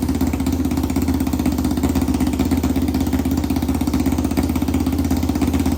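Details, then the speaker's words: 1991 Kawasaki Ninja 500 engine in a 500cc mini bike, restarted with no muffler on the exhaust: very loud raw popping idle, steady but slightly uneven beat; possibly lean, unconfirmed, carb to be rejetted. "We also got to finish the exhaust. It really needs a muffler. Really bad. This thing is so loud. It's actually insane."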